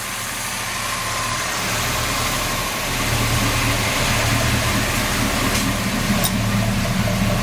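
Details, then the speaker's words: Dually truck after big block V8 swap, running after first start: steady smooth even rumble with slight rise in speed, no knocks or misses; normal idle. "all right you don't sound too bad"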